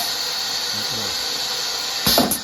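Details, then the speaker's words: JDA Model PF200 pneumatic piston filler with the sensor slid back into the correct position. On the foot switch, a constant air hiss, then a sharp burst and clunk as the piston strokes; it cycles normally. "When I press the foot switch, this is going to go forward, you'll hear it, and you're going to see this nipple is going to pop up momentarily."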